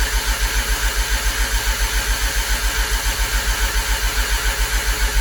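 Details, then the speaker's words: Mazda RX-7 Turbo II rotary after three months' winter storage, cranking on the starter with the fuel off, mic outside the window: steady, even cranking with no catches or knocks; oil pressure about 30 psi and rising. "So I'm gonna go ahead and crank it over, and I'll stick you guys outside the window here so we can get a little bit better sound. So here is crank with no fuel."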